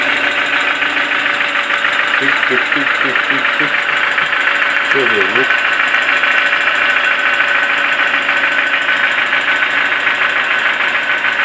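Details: Toyota 4E-FE engine that has suddenly started knocking: a steady idle with an even, dull tapping of about two per second over the hum; the owner asks what the cause could be, and the origin is unknown.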